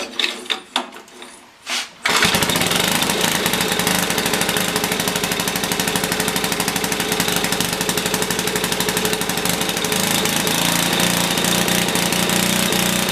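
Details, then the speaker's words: Briggs & Stratton 5 HP on older Black & Decker generator with rusty tank and dirty carburetor: runs fast and harsh with surging, unsettled speed; governor found torn up and reset. "something's definitely wrong. So there's definitely some messing around going on with this thing. That's for sure, because the governor was completely tore up."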